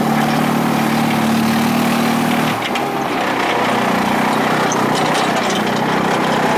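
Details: Bolens GroundsKeeper with a Wisconsin single-cylinder engine, cold start at about 30 degrees: after a rough start it settles into a steady, even idle with no misses or knocks; it sounds healthy.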